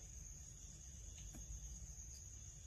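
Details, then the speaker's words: New sealed bearing from a Mercedes E55 M113K supercharger belt wrap kit pulley, spun by hand: almost silent with no grinding or rattle, unlike the old unsealed shielded bearing. "this is bearing with a seal and it's silent no noise whatsoever no rattle"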